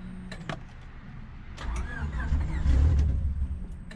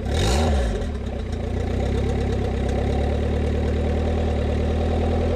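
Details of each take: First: Cheap eBay turbo Honda Civic build, first start attempt after priming oil: starter cranks about four times a second, almost starts but never catches; owner suspects a fuel problem and plans to check the fuel rail feed line. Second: Honda Civic turbo build (cheap eBay turbo), first start after a year of building, with the oil line draining into a cup. Steady, even idle with two quick clean throttle blips that rise and settle smoothly, no knocks.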